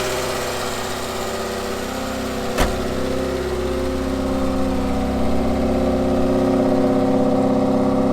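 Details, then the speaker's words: Ford Fiesta MK2 XR2 revving after new hydraulic lifters and valve stem oil seals: smooth, even engine note rising and falling with the throttle, the earlier rattling, tapping noise gone and valvetrain healthy. "right so as you can hear everything in the engine bait is miles more smooth than it was before um that annoying rattling tapity noise is completely gone and the car's running really smoothly"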